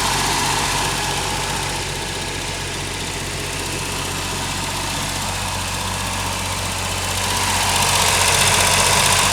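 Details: Ford Sierra Mk1 Estate 4x4 Ghia 2.8i after exhaust patching and starter fitting, run briefly without coolant in the cold: steady, even idle with a smooth low thrum, no puffing or ticking from the manifold; healthy, no exhaust blow.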